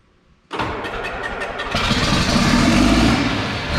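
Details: John Deere 4640 tractor diesel first startup after being split for a week for a 2-speed transmission transplant; brief crank, fires straight up, steady even idle with a slight rev, no knocks: normal start.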